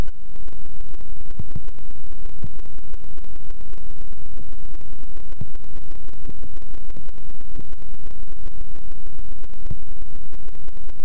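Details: GoPro camera audio glitch, one clip only and never since: steady crackling static hiss with scattered faint ticks, no engine underneath; electronic glitch, cause unknown.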